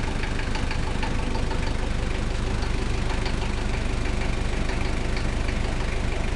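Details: Toyota 1KZ-T diesel engine idling: a steady knock at about three per second over the low diesel clatter. Its source is unclear and the cause is unconfirmed.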